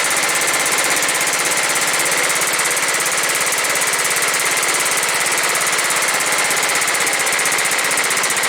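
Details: John Deere STX38 with a Kohler Command 13 hp engine that did not run, after cleaning and refitting the housing: a steady, even, fast putter with no misses or knocks; the repair fixed it.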